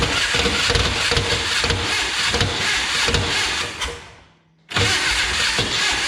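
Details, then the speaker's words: 1962 Berry Mini T kit car, VW engine, stored since 2018, spark confirmed, fuel down carb: fast crank about four beats a second under harsh metallic grind, no start; starter suspected, teeth found eaten. "it wants to go we gotta i gotta figure out what's going on that starter let's get it off and take a look"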